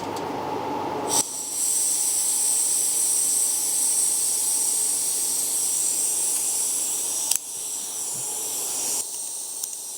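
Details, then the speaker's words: BRS 3000T pocket gas stove, full blast, wind test with a fan blowing; loud gas hiss with no flame roar, mixed with fan wind; cannot be lit. "I can't even light the thing. Turn that fan off."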